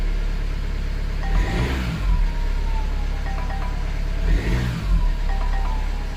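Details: 2020 Jaguar F-Pace 180 diesel revved twice from cold: thin whistle rising and falling with each rev above the engine note; turbo whistles hard when cold, cause suspected not confirmed.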